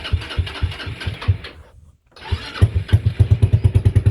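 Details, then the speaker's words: TrailMaster 300 XRS go-kart after adjusting the carburetor screw: small single catches, a brief cutout, then it refires and settles into an even, quick thumping idle of about three beats a second. It stays running without the gas pedal. "So, now I adjusted it pretty good where it turns on."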